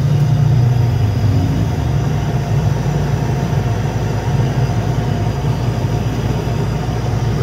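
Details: Shop display refrigerator that wouldn't switch on or cool, faulty manual thermostat (cold control) bypassed with a direct connection; steady, even low hum starts and holds with no clicking or cutting out, compressor running normally, control needs replacing.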